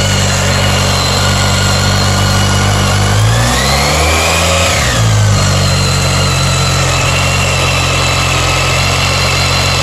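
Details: BMW K1300S motorcycle with a steady high-pitched screech over a smooth engine, sweeping up and back with a brief rev; owner asks if normal; cause not evident.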